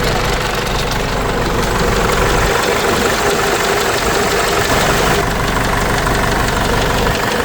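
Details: Case 586E Cummins 4BT diesel after teardown and new oil pickup tube: idle with loose uneven knock about four per second through the rattle; knock still present, cause not found.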